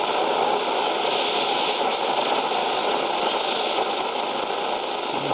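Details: 1960 Philips B3X00U radio received damaged, switch contacts not yet cleaned, warmed up inside a concrete building; constant hiss and crackle with no clear station; poor reception, likely signal blocked indoors.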